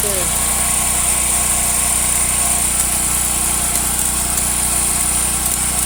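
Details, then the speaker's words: Washer with the motor running on agitate: it hums steadily with a thin whine, but no agitation or spin follows because the motor-to-transmission coupling is broken and needs replacing. "nothing let's try agitate all right i know what's wrong the coupling is broke she needs a new coupling"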